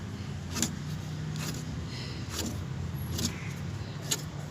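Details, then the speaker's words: Toyota Innova V diesel, belt removed: rough scraping clicks about once a second as AC compressor pulley is hand-turned, worn bearing binding; water pump, tensioner, idler OK; compressor bearing to be replaced. "तो इसमें AC compressor का जो wiring है वो गया है, देखो इसमें जाम हो रहा है, ये आवाज़ कर"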